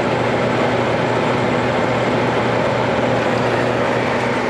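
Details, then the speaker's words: Vintage Westinghouse 30-pint dehumidifier, dumpster find, first test: steady even compressor and fan hum with soft airflow, no rattles; coils icy, owner thinks it has full refrigerant charge; running normally. "oh it absolutely works that's icy sweet oh yeah wow I think it's got its full charge of R500 yeah that's working nice"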